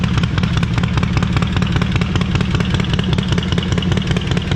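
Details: Stone-cold start of a 131ci Harley Breakout V-twin (just over 140 hp) after a Screamin' Eagle high-volume oil pump and cam support plate were installed and pushrods were preloaded 100 thou and bled down. A deep, loping low thump with no ticks or knocks. Normal cold start idle.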